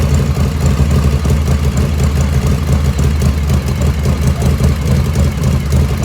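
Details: 1985 Harley FXRS Evo just restarted after reassembly, idle jet set close: lumpy, loping V-twin idle, steady low throb with no misfires or rattles; normal idle.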